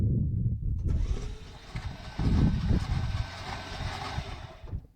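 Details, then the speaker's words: Dodge Ramcharger after replacing corroded negative battery cable, spark plugs removed and oil in cylinders: starter spins the engine briskly and evenly for about four seconds, no clicking or dragging; engine not seized, cranking normally. "Disconnect it. But it did turn over."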